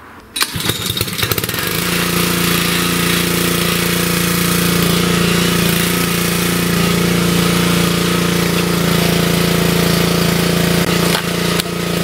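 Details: Wood splitter Honda engine, sat 5 to 10 years, after carburetor replacement (Honda 16100-Z1A-802): fires within a second and settles into a steady, even drone with no misses, hunting or surging, being load-tested on a wood block.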